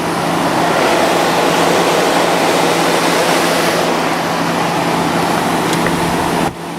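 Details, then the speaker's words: Fedders 8,000 BTU window air conditioner with Sanyo compressor after cleaning, it started: steady airy fan whoosh over a low even compressor hum, no rattles, squeal or clatter; very quiet, normal running. "very quiet"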